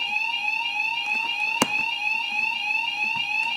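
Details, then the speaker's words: Home-built fire alarm system, bedroom sounder triggered by the bathroom heat detector: loud, steady, high continuous electronic tone with slight warble and a few clicks behind; the sounder works normally. "You now hear my sounder going off because the bathroom detector has been set off."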